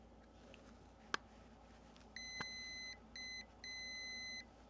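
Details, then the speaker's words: Newly built PicoKeyer automatic CW keyer kit, speed controller knob checked turning up and down: clean high-pitched beeps in on-off groups over a quiet room, speed changing; tone output and speed control work normally. "The knob, I checked the speed controller. The speed controller works. I can turn it up, turn it down, and seems to be okay."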